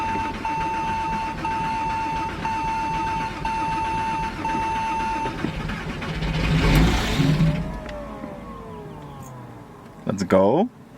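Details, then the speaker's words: Porsche Boxster not run since about 2010, spark confirmed: steady background tone, then a rough burst as the engine catches briefly on starting fluid sprayed into the intake; fuel supply problem suspected, old fuel to be drained. "started so that's promising it has it has so much gas no so that's actually extremely awesome that started with the starting fluid"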